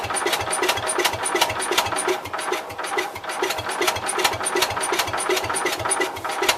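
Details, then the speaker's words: Cub Cadet 122 garden tractor, coil good but points giving intermittent weak spark, carb primed: starter churns under three beats a second with odd weak firing catches, engine trying but never runs by itself. "So it's trying."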